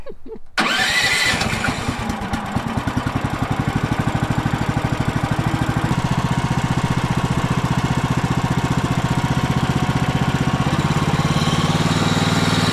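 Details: Woodland Mills sawmill single-cylinder engine, restarted after the fuel valve was turned on: catches after a brief start, then settles into a steady, even single-cylinder beat with no misses; healthy.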